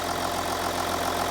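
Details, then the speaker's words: Audi Q7 3.0L diesel after the cylinder 4 injector was replaced (earlier P0272 misfire, P0087): an even, steady diesel idle with regular light clatter and no stumble, no misfires, no codes; normal idle. "so as you can hear the engine is running this engine sounds great can you tell the difference now no more Mis fires engine sounds good"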